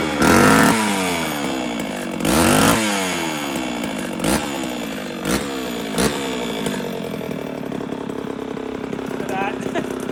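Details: 1972 or 1973 Pioneer 1200A chainsaw, unrun for decades, after carburettor rebuild, new fuel lines and filter, original plug, two-stroke oil down the plug hole: a few loud pulls catch, then it settles into a rough, steady buzzing run; starts and keeps going.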